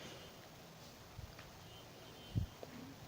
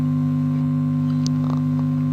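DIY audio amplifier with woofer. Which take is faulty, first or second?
second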